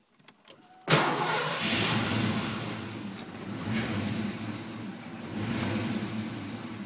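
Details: Mustang 5.0 V8 that stalls and has poor throttle response. Cranks, catches, then idles unevenly with lazy revs that swell and sag. IAC, alternator, battery, vacuum lines and fuel pressure regulator all checked good; cause undiagnosed.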